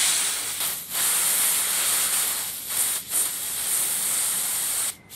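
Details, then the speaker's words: Oxygen cylinder from a bi-gas torch, nearly empty, vented outdoors to convert it into a high-pressure compressed-air reserve: loud steady hiss of gas broken by short pauses. A fair amount of pressure remained; afterwards it is empty, the check valve rattles, and residual oxygen needs purging. "Voilà, il n'y a plus de pression dans la bouteille, et si vous secouez, vous entendez l'anti-retour qui se promène, donc ça veut dire qu'il n'y a plus rien."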